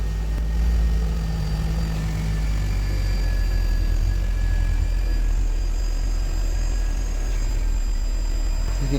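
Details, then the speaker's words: Mercedes-Benz W219 CLS 350 with collapsed Airmatic air suspension, car started so it would rise: a constant low drone with a faint steady tone that never cycles off, the compressor running continuously. Owner suspects a pipe, the release valve, or a holed airbag. "literally hear all of the pumps going crazy just try and pick up that nose"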